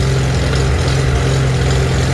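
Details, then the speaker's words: Old tractor after carburetor adjustment: loud, fairly steady idle with a low, slightly uneven chug, running better than before. A fuel issue from a dirty tank is still suspected. "i mean no doubt there's fuel issues here but i can get it running better just from the car"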